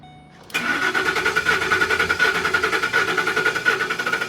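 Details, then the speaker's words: 2012 Ford Expedition, extremely noisy while running: cranks, catches, then lumpy uneven idle with irregular stumbles; a couple of cylinders suspected misfiring, unconfirmed. "a couple unhappy cylinders for sure."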